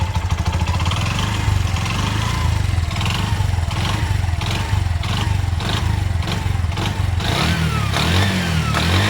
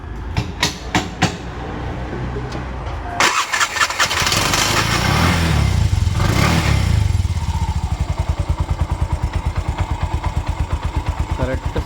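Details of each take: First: Bajaj BS4 auto engine restored 3.5–4 months ago: a light rapid knock at idle, sharper under gentle throttle. Oil is full and not being consumed. Connecting-rod noise was suspected and then confirmed; the bore is not scored. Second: Bajaj auto BS4 single-cylinder, engine rebuilt about four months ago with new bore, connecting-rod noise suspected at idle with light throttle: a few cranks, then catches and settles to an even, steady putt with no knocks; sounds healthy.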